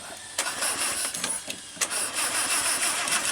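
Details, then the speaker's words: Land Rover Series 2 that sat for several years in a paddock, possibly flooded, with suspected fuel tank issues. Repeated uneven cranking and chuffs before it catches; a hard, slow start, then it idles with no smoke. "have flooded her. Oh, there she goes."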